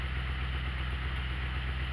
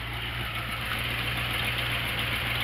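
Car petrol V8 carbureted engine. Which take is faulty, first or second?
first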